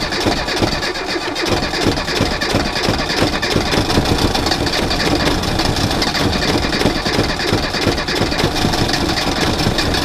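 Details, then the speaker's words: Reliant Robin in cold weather with a failing alternator and a low battery: a lumpy, uneven idle with irregular firing that smooths as charge builds, because the low battery current starves the ignition; the alternator is due for replacement. "the current is so low in the battery it's taking it away from the ignition system now as you can hear it's firing because it's not as it brings the charge up it's fine"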